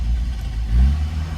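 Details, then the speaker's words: 1987 Mitsubishi Sigma 2.6L Astron, manual, revived after about 20 years unused: engine hangs around 2000 rpm with a surging, wavering note instead of settling. It won't idle, nosedives unless revs are held and cuts out now and then; the carb seems unhappy. "but it won't idle. It's as you can see, it's up there at like 2000 RPM, but sort of it starts to nosedive if you don't keep the revs up."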